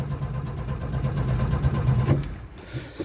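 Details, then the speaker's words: Old carbureted truck, in neutral, building fuel pressure: low, steady starter churning, engine turns freely but never fires; fuel starvation, owner thinks it needs fuel down the carb with breather removed. "I just know that these old girls usually like a drink down the carb, and well, I didn't feel like pulling the breather off."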